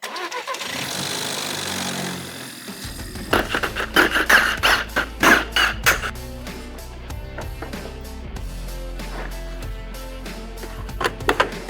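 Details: VW Polo GTI 1.4 TSI, customer car, cold start: engine cranks and catches, then loose metallic clatter for a few seconds before settling to idle; worn timing chain rattle, car otherwise drives well.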